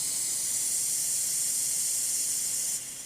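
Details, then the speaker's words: New CarQuest PCV valve for Toyota 22RE engine, tested by blowing the wrong way: steady airy hiss nearly three seconds then fading; one-way valve leaks backward, faulty part. "you can hear the air coming through so that's my fancy car quest one"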